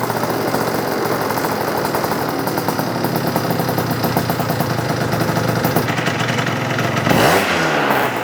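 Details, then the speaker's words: Yamaha BWS 100 two-stroke with Malossi 125cc kit, airbox off, after rich running was addressed: crisp even buzz and a clean throttle blip with no gurgle or stumble. "Okay, you can hear that already sounds like 10 times better. There's no gurgling and everything, it's revving up quite cleanly."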